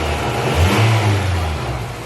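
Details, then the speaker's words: Honda Civic B16A with fresh injectors, giving a clean blip from idle and back with no stumble or hesitation; injectors pulse well and there are no leaks. Normal revving. "now it's running where it should be let's check for any fuel leaks injectors all sound like they're pulsing pretty good"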